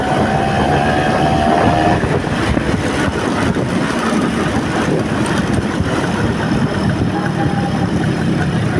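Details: Vespa Excel two-stroke after engine rebuild and carburettor check, on road test with new parts still breaking in, standard super gear; busy buzz rising and falling with throttle under wind rush, pulling evenly without misfire; healthy.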